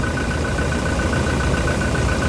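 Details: Toyota Innova Reborn diesel idling after replacing the alternator pulley that caused a flashing battery light; smooth, steady idle with faint pulsing hum, no belt squeal, quieter than before; charging now about 13.5 V versus about 12 V before.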